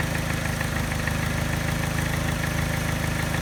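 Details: Mini engine at idle, after timing chain, tensioner and piston rings were replaced: light rapid tapping at about three per second on a slightly uneven idle with a faint miss. The tap disappears above 1200 rpm; cause unclear.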